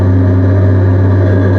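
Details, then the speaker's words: NB Miata with a cheap aftermarket exhaust swapped from a wrecked car and no rear hanger hook: steady deep drone with a slight rasp, acceptable even at high rpm, while the unsupported exhaust rattles badly underneath. "The exhaust itself doesn't sound too bad though. Like, It's just a little raspy. yeah. It's definitely a cheapo exhaust."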